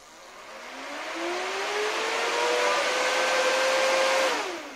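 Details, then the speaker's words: New replacement blower fan in an inflatable costume bear suit, powered from a battery for testing before gluing; spins up with rising whine, holds steady even tone, then winds down; normal fan operation. "всё работает сейчас я буду включать ле"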